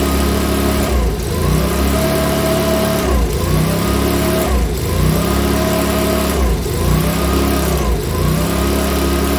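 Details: Makita BHX2500 four-stroke leaf blower, after valve clearance and timing check, NGK plug checked, airbox off: surges and dips roughly every two seconds instead of holding steady; rough running, owner reckons it needs a new carburettor.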